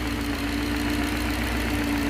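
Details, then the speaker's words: 1969 Gloria supercharged V8 at idle with the catch can blanked off: steady hum with a light rapping that grows as crankcase vacuum pulls the cam cover baffle down onto the cover; the noise goes away when vacuum is removed. Cam cover baffle knock. "it'll get louder and louder as you pull crankcase vacuum pulls the baffle inside the cam cover down and touches against henshaw"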